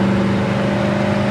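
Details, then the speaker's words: 1969 Chevrolet El Camino with a 307 cubic-inch V8 and 4-barrel carburetor, on a road drive: strong, steady drone as the 4-barrel opens up, pulling evenly without stumble or knock. Well tuned, with oil pressure over 60 while driving. "Car's tuned well. You can hear that 4-barrel open up."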